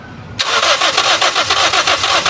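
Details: Toyota Vios that died while driving; the fuel pump assembly was already replaced but it still won't start. Steady fast cranking, about six pulses a second, never firing; fuel output at the line looks weak and pressure (should be 40–50 psi) is being checked. Crank no-start.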